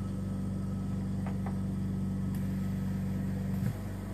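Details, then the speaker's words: Invacare Perfecto oxygen concentrator, about 26,500 hours, just turned on: steady low compressor drone with a fast even pulse, then a short puff as the valves switch sieve beds; normal operation. "have the sound when it will changes the sieve bits"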